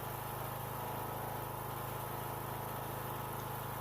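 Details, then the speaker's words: Troy-Bilt 42-inch riding mower, left in rain 3 years, after restoration, cutting grass: quiet, steady low drone with even beat and no misses or knocks; running smoothly and strong. "I spent about 30 minutes cutting my grass, and it cut just fine. Everything's nice and even. Everything's running strong, so quite happy with it."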